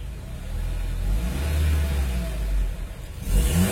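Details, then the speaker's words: Honda CR-V gen 2 automatic, 2.4L K24, converted to LPG with low-pressure mixer, running in LPG mode during setting: smooth clean rev settling back without misfire, popping or hesitation. "Jadi untuk di unit CR-V, begitu dia dikunci kontak on, dia nyala 1 detik, mati lagi, start, dia nyala lagi sinyalnya. Ini mode LPG, mode BBG."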